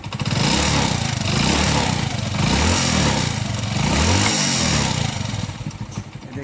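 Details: Hero Splendor Pro single-cylinder bike revved up and down: light ticking noise rides on engine note as revs rise, source undetermined.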